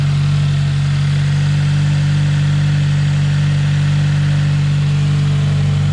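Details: 2020 Subaru WRX 2.0 turbo after an oil change, near operating temperature: steady deep idle with no taps, knocks or whine; normal idle.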